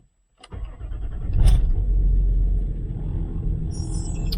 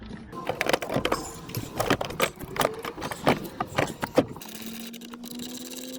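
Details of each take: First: Land Rover Discovery 3/4 TDV6 diesel, cold start in extreme cold after cycling glow plugs several times: starter cranks at least two seconds with slow uneven churn before catching into a rough cold idle; glow plug check. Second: Land Rover Discovery TDV6 diesel starting after a battery replacement, with no faults. A short clattery crank catches quickly, then it settles into a steady, even idle. Starts a little better than before. Normal start and idle.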